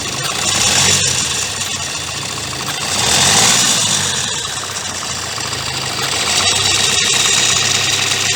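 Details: 2016 Kia Sportage 1.7 CRDI diesel at warm idle, hood open: busy, even metallic rattle swelling slightly with engine speed, said to be the timing chain; grows over time and remained after accessory belt and pulley replacement.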